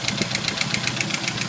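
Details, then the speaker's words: Jeep YJ 2.5L at cold idle after sitting overnight: sharp metallic ticks about seven per second, light and pingy; knock appears briefly at startup, fades, then gradually returns. Pulling spark plug wires one at a time made no change; source unknown. "It started rattling right off the start, and then it stopped rattling with that knocking. And now it's not knocking at all. No knock. Kind of hear the knocking. Louder. That sounds more like a pinging, a ticking."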